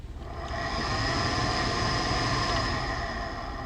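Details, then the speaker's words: Truck heater blower spins up into a loud rushing hum with a steady whine on top; the failing blower motor is to be replaced. "hear that so we're gonna get a blower motor"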